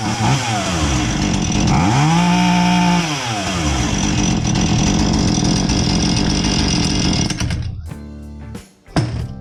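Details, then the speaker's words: Husqvarna 440 chainsaw that came in not starting or idling and had the wrong chain, test run after repair with the proper chain: it revs to a clean steady high whine, then drops back smoothly before cutting off; normal running. "And see what it sounds like with the proper chain on there. And if it sounds good, then that's all I have for you."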